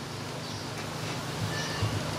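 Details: Mitsubishi compressor from a York AC unit, star-wound motor run on a VFD set to low speed: low, steady, even hum with no knocks or rattles, sounds healthy; normal compressor running at low speed.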